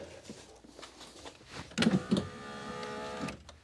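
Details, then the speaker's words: 2001 Mercedes S-Class window with the door panel open: clunks, then a light, free-spinning motor whine. The glass is not broken but seems to have popped out of the regulator on both sides, so the regulator runs unloaded. "Okay. It's not broken. Maybe it's just detached. It's not broken. That's good. This was not grabbed into the the thing anymore."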